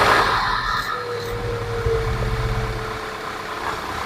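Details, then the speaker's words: 2011 Audi Q5, CDNC petrol engine, after replacing spark plugs and the two coils for a cylinder 1 and 2 misfire: engine settles into a steady, even idle with no stumble, sounding much better than before. "And now the vehicle sounds much better."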